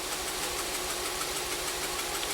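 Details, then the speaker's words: 2014 VW Jetta 1.8L TSI (CPR) at idle with code P0304: uneven, stumbling, lopsided beat, engine shaking badly from a cylinder 4 misfire; fuel trims oddly read rich despite misfire, cause still being diagnosed. "i still think it would show lean and the engine is still shaking like crazy"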